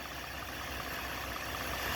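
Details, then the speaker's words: 2012 Ford F-150 3.7 L V6 Ti-VCT, idling with the serpentine belt removed so no pulleys turn: much quieter, smooth and steady, as it should sound. The noise came from a worn water pump with excessive play. "it's a whole lot quieter now ain't it what it should sound like"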